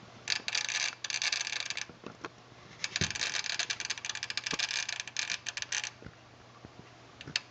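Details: Aging Sony STR-DA555ES receiver that suddenly started clicking while watching TV: bursts of rapid, dry chattering clicks come and go over a quiet hum, like a relay rattling on and off. Unit opened for repair; fix not yet known.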